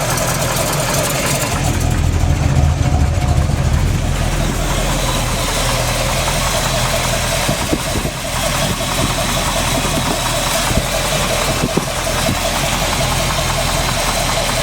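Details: Freshly built SBC 350 (aluminum 64cc heads, 10:1 flat-top pistons, Edelbrock intake, 600cfm carb, likely out of tune), in gear: loose, irregular deep knock under the exhaust that stays through revs; persists with plug wires pulled, owner suspects piston slap or flexplate.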